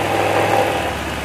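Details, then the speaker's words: Honda Vario 110 scooter after rewinding its burnt charging coil (spul), battery removed so it runs solely on the coil. A short steady idle with an even mid-pitched engine note and no misses or stumbles. "posisi akinya saya copot jadi ini kalau ibaratnya hidup motornya ini murni dari pengapian dari spul ya"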